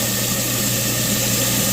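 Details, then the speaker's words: New garbage disposal just installed, after knocking out the dishwasher-connection plug, test run: steady even motor hum with smooth whirr, no rattle or grinding; better than before; normal running. "How smooth that sounds. A lot better than it was before. There it goes."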